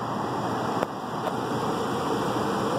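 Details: Lennox upstairs heat pump on emergency heat, blower drawing 1.4 A after a no-blower complaint: steady even rush of air with no scraping, squeal or rattle; blower motor works, failed ice cube relay to be replaced.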